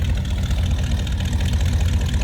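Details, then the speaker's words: 1963 Chevrolet Nova hardtop with 350 V8 and manual choke, heard at the tailpipes: deep, lumpy but even burble with a steady beat, no misfires or ticks; smooth, healthy idle. "Not only looks good, sounds good."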